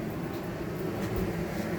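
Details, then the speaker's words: Fuzion RV rooftop air conditioner set to cool with cabin at 83°F, kicking on about 30–45 seconds after setting temperature: even low hum with steady airy rush, no clatter or squeal; normal operation. "If we want to cool it, turn it to cool. Toggle down to your desired temperature, and then in about 30 seconds, maybe 45 seconds, you'll hear the air conditioner kick on. You won't feel, you probably just heard that."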